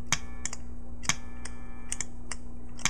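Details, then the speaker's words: Bat Overdrive/Boost pedal programmed with its click-mute circuit turned off: sharp bright clicks about every half second over a low amp hum as the pedal is switched between bypass and on. "so now it's on like the clicking noise is there when I switch the pedal on and off"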